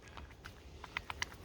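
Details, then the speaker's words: 2006 Honda Odyssey front suspension stabilizer link rocked by hand: quiet irregular light clicks and knocks, one side tight, other side real loose; worn loose stabilizer link clunk causing front rattle. "you hear that this one's actually this side's pretty tight this side's real loose"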